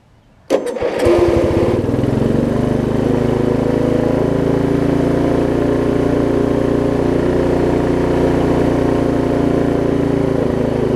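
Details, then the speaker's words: Lowe's riding mower after ignition repairs, running without the blade: the engine catches after half a second, then runs with an uneven, lumpy beat, running but not well. Owner suspects the carburetor needle and seat and a tight throttle linkage. "okay well their runs albeit not very well at this point that is a step"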